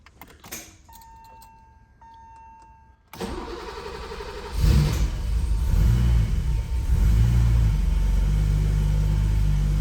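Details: 1985 BMW 635CSi M30 engine, after replacing the leaking fuel pressure regulator o-ring: a few dash chimes, cranks, catches quickly and settles into a smooth steady idle with no stumbling; no fuel leak afterward.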